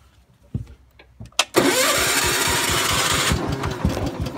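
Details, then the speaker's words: Gravely 432 with rebuilt Kohler K321 single-cylinder, after carb cleaner shots: cranks with a steady chuffing rhythm about three beats a second but never runs; owner suspects no spark, perhaps dirty points. "probably has no spark if it won't go off the carb cleaner probably got no spark probably the points need to be cleaned or something"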